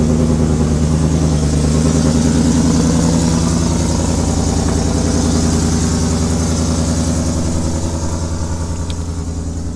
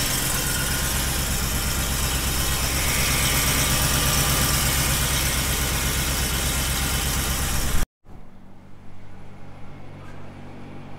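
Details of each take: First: Ford F150 Shelby V8 with new longtube headers, idling lumpy with a sharp puffing tick in the exhaust beat and a quick rev; exhaust leak at the header flange, supplied gasket too small, fix planned by V-band. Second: Shelby (Super Snake) Ford F150 V8 with long-tube headers idles with a deep, steady, even pulse after a V-band install fixed the exhaust leak; no ticking or puffing, normal idle.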